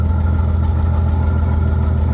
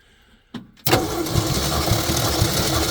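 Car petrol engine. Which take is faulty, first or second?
first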